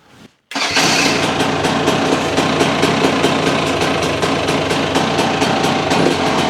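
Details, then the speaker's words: GPX TSE 300 with new XTNG Gen 3 Plus carb, first startup after only a tickover screw adjustment: starts right away into a crisp, even single-cylinder idle; sounds better than with the old carb; normal idle. "Um it runs sweet. The only thing I had to adjust was the tick over screw. Ticking over. Lovely."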